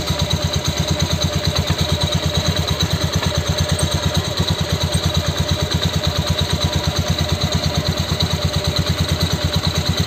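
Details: Honda Beat scooter (symptom common on 2019 K81) idling roughly with busy rattly pulse and metallic ring, then cutting off: noisy, harsh engine.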